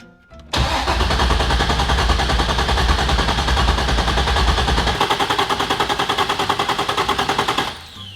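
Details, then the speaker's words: Flooded 2015 Corvette Z06, 7.0 LS7, cold start attempt after sitting 7 years with wiring cut by previous owner; starter cranks at about three compression pulses a second but never catches. "Well, paint me green and call me a pickle, but this vet ain't going nowhere."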